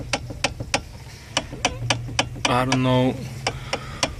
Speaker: just recently it started making some type of clicking or clunking noise coming from the steering column uh I'm pretty sure it's coming from the inside